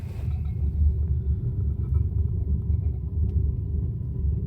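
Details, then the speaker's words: Wood burner stove that had been down drafting and leaking smoke, door opened slightly to let air in: a deep, steady fluttering roar with no hiss or popping. The draft is working properly. "just open the door a little bit wonder if I can put you just at the front like that and you can see hear that roaring"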